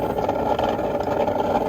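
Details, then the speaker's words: Old above-ground pool pump converted to pond transfer pump, no filter installed, first start unprimed: steady even motor whir with no water moving; pump running dry, needs priming. "that's not gonna work. Gonna have to prime it first."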